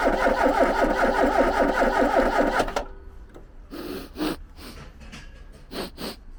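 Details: Ford Capri garden find: the starter spins the engine in an even, steady rhythm for nearly three seconds with no firing, so it cranks but won't start. Possibly too little fuel, as no fuel smell is noticed.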